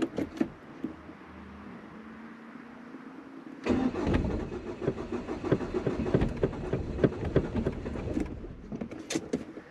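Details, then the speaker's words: Cold start at about 9 a.m. during a cold snap on an unmodified car (no E85 kit, no remap) running 3/4 ethanol E85 and 1/4 unleaded: weak cranking, pauses, then rough spluttering catch. Hard cold start on ethanol. "Donc on a démarré au bout de la quatrième fois, donc démarrage très compliqué à froid."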